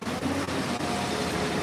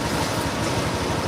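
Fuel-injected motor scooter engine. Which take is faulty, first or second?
first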